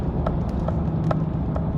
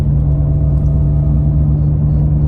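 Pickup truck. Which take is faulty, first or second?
second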